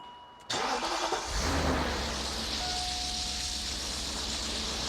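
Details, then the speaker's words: BMW Alpina B10 4.6 V8 (pre-OBD) that sat about 12 years, run up after revival: brief crank, catches cleanly and settles into a steady, slightly fast idle; smoke clearing, still missing a little, temperature gauge no longer erratic. "Chris has climbed in just going to run it up now and actually leave it running for a minute if we can"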